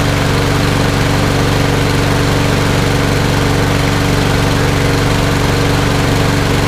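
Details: Toro Recycler mower, Briggs & Stratton EX OHV engine, after flushing water from gas tank and carburetor and replacing the air filter: steady, even engine beat at constant speed, no misses or surging; runs good.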